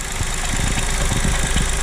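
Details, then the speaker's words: 2023 Chevrolet Onix LT turbo manual, first cold start of the morning, hood open: light irregular clatter at cold idle that appears and changes as the brake pedal is pressed and released. Mechanic called it normal; owner doubts it, cause unknown. "Pessoal, esse barulho é quando o carro tá frio"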